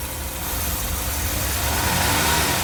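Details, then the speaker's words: 1982 Mercedes 380SL after new oil-pre-loaded timing chain tensioner replaced the bad one, long undriven: steady even idle, soft low hum, no ticking or knocking; quiet, best it has sounded, great oil pressure. "well she sounds pretty darn good doesn't it wow that's the best that sounded yet bad timing chain tensioner I think it sounds pretty good"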